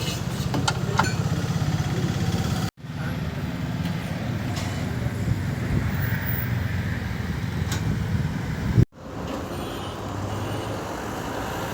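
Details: Skoda Laura diesel with white smoke: heavy diesel clatter at steady idle with a rough, low-pitched knock underneath, cutting out twice; internal engine knock, cause unconfirmed.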